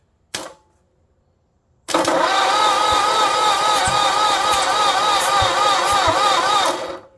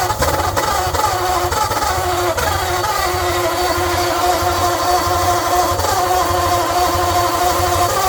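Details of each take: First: 1948 Ford flathead on an engine stand, freshly assembled, conventional 40-weight oil, spark plugs out: steady starter cranking with an even pulse about four beats a second; compression felt at all cylinders, normal. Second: 1948 Ford Flathead on an engine stand with a leaking, worn-out carburetor and choke half open: uneven chuffing, firing rhythm stumbling and sagging every few seconds.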